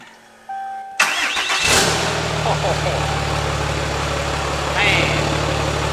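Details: Peterbilt 379 project truck with Cummins diesel, first start-up: quick crank catches within a second, then steady even diesel idle with no knocks or misses; engine starts and idles well.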